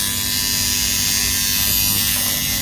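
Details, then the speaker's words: New washing machine buzzer tested on the bench: the buzzer knob is turned slightly and the buzzer gives a loud, steady electric buzz with no breaks or rattles, then shuts off by itself, so it works properly. "तो ये confirm हो गया, buzzer बजने लगा है।"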